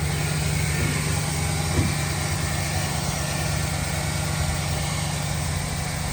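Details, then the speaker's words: 2008 Chevrolet Silverado 1500 LT, 5.3 V8, 253k miles: engine fires right up and idles smooth, quiet, with an even low rumble and no knocks or ticks; exhaust sounds great. Normal idle. "Engine is very smooth, fires right up, nice and quiet, very powerful. Exhaust sounds great as well."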